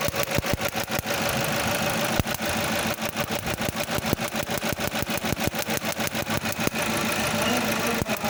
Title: P0301 code on a Toyota means Cylinder 1 Misfire Detected #misfire